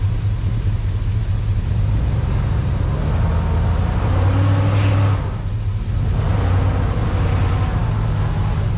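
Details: Truck after sitting a while, in cold weather: deep, even V8 idle with no stumbles or ticks over several seconds; a normal idle.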